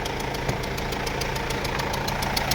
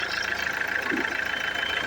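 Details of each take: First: Mercedes-Benz W212 E220 with OM651 4-cylinder diesel, check-engine light on, at idle: loud sharp ticking knock from the front of the engine; mechanic suspects a leaking injector. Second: Mercedes-Benz W212 E220 with OM651 four-cylinder diesel, just restarted after replacing leaking injectors: steady, even idle with the leaking puff sound gone, normal.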